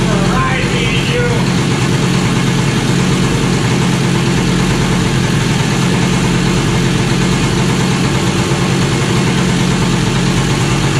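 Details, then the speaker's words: Kawasaki KE100 two-stroke, without a tachometer, warming up after a new carburetor needle from a rebuild kit was installed: a steady idle held well above normal tickover, climbing higher, with some smoke. Idle set too high, to be dialed back once warm. "Sounds like I'm getting higher and higher. I want to get it warm, and then I'll dial this back a little bit."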